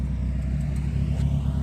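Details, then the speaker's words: Nissan 240SX with KA turbo engine after timing adjustment (rebuilt engine had lost compression in cylinders three and four); smooth, even low rumble, steady firing, no knocks or misses; timing probably not perfect, ECU likely on fixed timing; runs nicely. "she running good the timing's probably not perfect but that runs really nice though"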